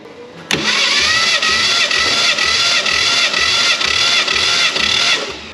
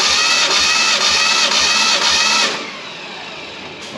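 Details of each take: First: 1967 Fastback Mustang recovered from a West Virginia holler, compression test on the other bank: even starter cranking with no weak strokes; cylinder came up to 120 psi. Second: 1967 Fastback Mustang recovered from a West Virginia holler, compression test while cranking: steady, even starter cranking without firing; back cylinder pumped up to 130 psi, other cylinders reading 60–100, crew suspects someone had it running on a can.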